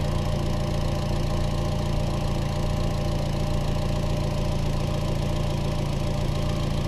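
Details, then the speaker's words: Chevy Trax 1.4 AWD after an aluminum valve cover replaced the faulty PCV setup (suspected broken diaphragm): smooth, even low idle hum with a steady beat and no hiss or sucking, before codes were cleared. Normal idle. "she looks pretty cool in my opinion it's a nice ball cover can don't hear that noise anymore but we're fixed now"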